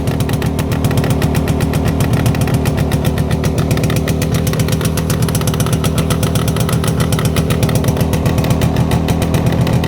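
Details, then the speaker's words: Jawa 360 two-stroke twin on a rolling frame after teardown, about fifth start, new plugs, 6 V battery: rapid, slightly ragged popping at steady fast idle; one cylinder suspected dead, unconfirmed. "Eelnevast käivitusest vasaksummutist nagu midagi ei tulnud."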